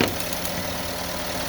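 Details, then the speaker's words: 2009 Porsche Cayenne S V8 after warming up during a coil pack and spark plug tune-up: smooth, even idle hum with no ticking; the earlier lifter tick went away again, a normal warm idle. "And the lifter tick went away again. Well, that's good."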